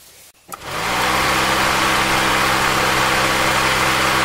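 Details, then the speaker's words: 26-year-old car radiator electric cooling fan, formerly noisy, sticking and overheating windings from worn bearing, after motor disassembly and bearing service, engine started: steady even whir over idle, no grinding or rattle; fan running normally after repair. "This 26y old cooling fan has been saved."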